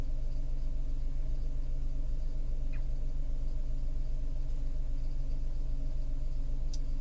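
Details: Tata Altroz naturally aspirated petrol, around 12,138 km, recorded inside the cabin: steady, even low hum with smooth unchanging pulse and no knocks or rattles; normal idle.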